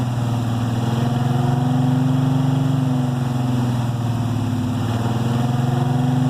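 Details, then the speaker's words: 1968 Chevelle 307 small-block V8 after power upgrades of over 100 hp in parts and tuning. A deep, even burble with a steady lope at idle and no knocks or ticks; idling smoothly. "That sounds pretty good. That sounds pretty good."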